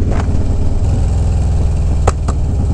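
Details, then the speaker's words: V-twin motorcycle with 43,000 miles, backfiring suddenly on a ride and idling unevenly: off-throttle burble broken by sharp exhaust pops, two close together near the end; popping on deceleration, cause unknown. "he's running really not great backfiring very badly"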